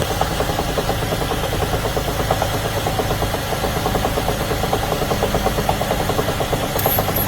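A steady run with a fast, even tapping riding over the engine note and no clear cause. It sounds like a light knock.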